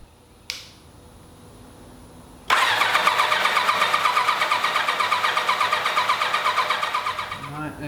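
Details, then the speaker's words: 1986 Kawasaki GPZ1000RX, fed by gravity IV fuel drip, after carburetor teardown and O-ring replacement: brief starter whirr, catches at once, settles into an even steady idle; no leaks, no smoke, normal start and idle. "well that sounds fantastic and there's no leaks there's no leaks whatsoever and there's no smoking this time so that's also cool"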